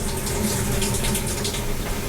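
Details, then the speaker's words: GE top-load washer in test mode during a no-spin, lid-lock diagnosis, cold water valve test; steady gush of water into the tub with no buzzing or sputter: cold inlet valve opens and fills normally. "our next test is the cold water valve test we're going to press it and you can hear the water works"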